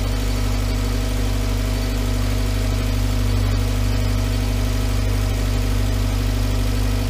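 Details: 2011 VW Voyage with EA111 engine at steady, even idle: smooth low hum, no knocking, ticking or whine. The engine noise complaint was traced to the water pump, and the timing belt and tensioner were replaced; the car was also out of timing. Normal idle.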